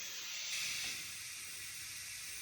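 A steady airy hiss carries on unbroken with no mechanical rhythm; air is escaping from the tire while it is being filled.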